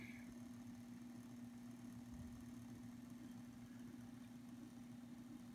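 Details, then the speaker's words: Realistic SCT-32 stereo cassette deck, which rewinds and fast-forwards but won't play: a steady low hum around 240 Hz as soon as it is powered on, with nothing moving; cause unknown. "turn this off once again we're going to turn the unit on and that's the sound we're talking about"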